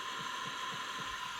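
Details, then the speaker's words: Olympus Zuiko Pearlcorder microcassette recorder (from 1969), first power-up with tape in: thin high whine with soft thumps about four per second, clunking and scraping; capstan motor runs rough and noisy, owner doubts the small motor, cause unclear. "Listen to it. That's not real happy. Something's clunking. I don't know if that little motor's so good anymore. Something's really scraping."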